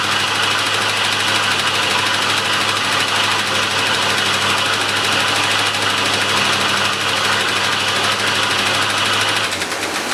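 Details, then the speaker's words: 1985 Chevrolet C10 first start in 10 years after new mechanical fuel pump, gas tank, fuel lines, starter, battery and distributor module; super high idle with fast, uneven light tapping, seemingly passenger-side top end, cause not yet traced; Lucas oil treatment added. "Alright, we got the truck to start. As you can see, it was a super high idle, and we got a tap on the top end. Sounds like on the passenger side."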